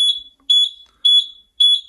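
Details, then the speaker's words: Buzzaround EX mobility scooter giving five shrill beeps at key-on, about every half second: controller error code for a brake problem, freewheel lever disengaged or damaged brake wiring. "okay and if I if I if I turn on the switch F1 2345 beeps okay and there is a problem"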